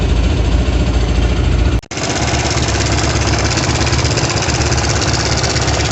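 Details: Kovi Pro KT, zs177mm single-cylinder, after a new timing chain: it idles with a steady low thump and picks up cleanly on the throttle with no chain rattle, a quiet, healthy timing chain.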